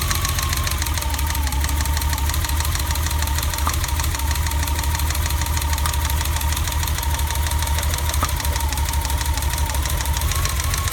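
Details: BMW E30 idling after cap and rotor replacement: rough, uneven idle with an irregular stumble in the exhaust beat; misfire.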